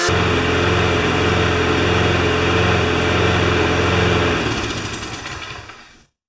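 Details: Briggs & Stratton Quantum single-cylinder engine for a self-propelled John Deere JS25 mower, parked since October, holds a steady even beat about four seconds then sags and dies, running only on fuel in the carburetor bowl; cause suspected, not confirmed.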